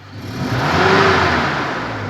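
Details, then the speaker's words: 2006 Toyota Innova manual before engine tuning/carbon cleaning: rough sound at startup, revs rise slowly on throttle with dull breathy note and no crisp pickup, then sag; sluggish, weak acceleration, also smoky exhaust. "ini ngempos setiap kita gas Hai naiknya lambat banget mirip naik naiknya lemot"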